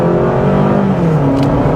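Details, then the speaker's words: 2023 Honda CR-V Hybrid Sport in normal mode, accelerating: engine drone climbs in pitch, then drops in steps like simulated gear changes, with a light motor whine; CVT hiding its character, normal hybrid behaviour. "how it's shifting gears so the delivery of the power is slightly different I actually feels I would say nicer in this Honda CRV uh it is like kind of trying to hide that you know it's a cvd transmission"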